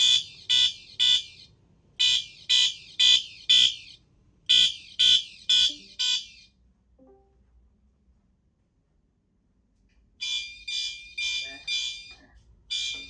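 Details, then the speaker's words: System Sensor Spectralert Advance CHSR chime on a Loganetics panel with coder, set off by a magnet on the smoke detector, on code 4444. Bright single-stroke chimes in groups of four, pause, repeat; the chime works properly. "CHSR sounds good on 4444."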